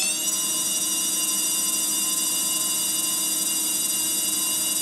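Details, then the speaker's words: Faulty HP MAP3367NC 36.4GB SCSI hard drive from a server, spun up on power without SCSI cable: dense steady high-pitched layered whine, incredibly noisy; green LED stays on, cause unconfirmed. Loud whine. "As you can hear, it's incredibly noisy."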